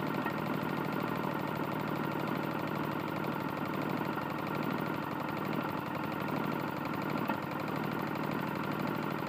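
Small engine running fast with a steady, sharp metallic rapping on every turn over its buzz; classic worn connecting rod knock.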